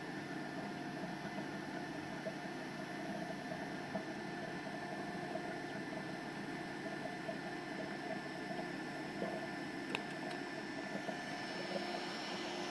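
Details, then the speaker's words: Orbitalum Orbimat 165 CA orbital welder power source, quick function test with start weld: steady soft hiss of gas and cooling water flow with faint constant hum, no stutter; power source working normally. "So for a quick function test, we'll do a start weld. Water's running, you can hear the water running. Gas is also running there."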